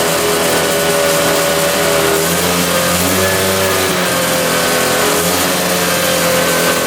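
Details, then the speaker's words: 1965 Tatran 125cc two-stroke scooter, 20 original miles, first start after 40 years in a barn: revs up and settles into a steady, slightly high idle, running healthy. "she's alive holy cow Idols a little high though but she fired right up"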